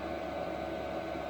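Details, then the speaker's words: Replacement diesel heater, which had worked first time out of the box with no smoking; quiet steady fan rush with faint even hum, no surging or popping; normal running. "it came out of the box on the bench plugged in fueling and it run and it worked as it should nor smoking nor nothing it just worked the first time"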